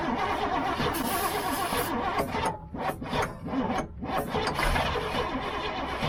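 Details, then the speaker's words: Old GMC gasoline bucket truck with a Holley carburettor, cranked with a makeshift battery cable: uneven bursts of cranking with pauses, never running. Carb problems are suspected, such as a stuck float or vapor lock. "It's like it gets vapor locked when it wants to hit. Yeah. You know? I think we just got some carb problems."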